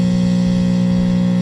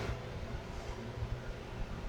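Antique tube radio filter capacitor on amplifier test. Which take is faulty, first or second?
first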